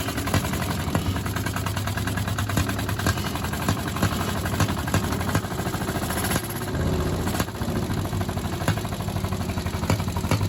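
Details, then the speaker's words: 1951 Caterpillar D8 2U dozer, sat since 1990, seized main engine freed with penetrants, first start attempt via pony motor: steady low rhythmic clatter of big diesel turning over, never firing; cranks but won't start. "all right so here's the first time we're actually trying to start the big motor and we didn't have much luck at it"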